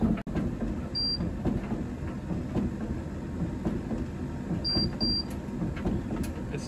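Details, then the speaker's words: Candy heat pump tumble dryer after a putty repair, near the end of the cycle at about 6 minutes left, warm around 20°: single high beep then a quick pair over the drum rumble; periodic beeping, cause unknown. "it's beeping can you hear that I don't know why it does that periodically it goes in a bit of a beeping Bender"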